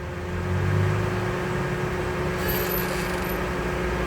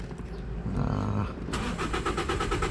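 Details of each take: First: Toyota Vios gasoline engine after fixing the failed hose: short cranking, fires on the first click and settles to a smooth idle; injectors and coils fine, normal start. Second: Toyota Vios petrol, check engine light on at key-on: the starter spins the engine in an even rhythm but it never catches; crank no start with no fuel pressure.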